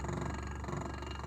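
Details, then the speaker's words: Reverse osmosis pump motor, never disassembled: a steady low hum with a fine, busy rattle throughout. The owner suspects the rear bearing, unconfirmed. "что-то в нем тарахтит [музыка] так он прямо как новые на высоте здесь специфический звук"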